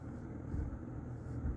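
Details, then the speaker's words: Vintage early-to-mid 1980s Lakewood P-223 20-inch box fan with McMillan motor, on low speed: low steady hum and soft air rush, quiet and even, with no rattle or scrape. "so that's low speed and low speed is pretty quiet"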